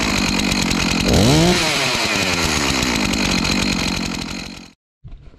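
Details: Stihl MS251C chainsaw after clutch and melted cover replacement, test-run without chain: crisp two-stroke buzz revs up cleanly, falls back to a steady even idle and shuts off; normal running.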